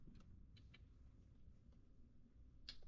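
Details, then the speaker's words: Porsche 944 under restoration, in a quiet cabin: a few faint, sharp, unevenly spaced clicks with a long delay from a relay apparently connected to the airbag system; cause not confirmed. "the Airbag thing? airbag thing is clicking."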